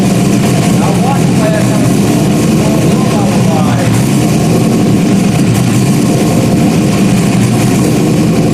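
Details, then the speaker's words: Rebuilt 5.3 V8 race engine, first start after almost a year of rebuilding, a small spray and drip leak noticed: loud, deep, steady idle rumble with an even tone and no knocks or misses; healthy. "she sounds good has a nice tone to it one more"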